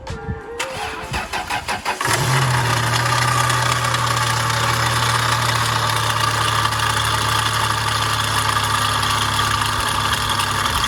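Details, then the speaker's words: Front-wrecked 2004 first-generation Toyota Tacoma with about 260,000 miles, on its first start: brief crank, then it catches and settles into a smooth, even idle with no knocks. "he's running he's purring like a kitten"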